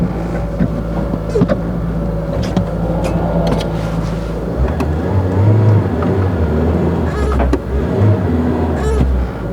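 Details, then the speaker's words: Citroën BX engine idling steadily, then hum steps up and holds higher and faster than it should after reassembly; high idle, owner suspects the cable. "I have a high idle. I think I know why cable tends to be a bit better."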